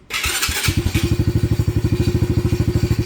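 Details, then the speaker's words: Venom 125 quad single-cylinder, just started, old black oil, banging and missing before; plug checked: lumpy uneven thumping idle with irregular gaps, misfiring. Owner suspects the carburetor or a plugged fuel pump filter, or that it just needs to warm up. "good okay so there's something more to it than just a spark plug carburetor maybe again or the fuel pump filter may be"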